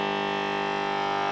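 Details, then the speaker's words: VVT Lindy Fralin model guitar combo amp out of standby into a 4x12 cab: loud steady mains hum with stacked tones, amp otherwise working; failed at a gig, power supply fault, dried-out HT filter capacitor. "Yep, it's working, but with a horrible mains hum on it."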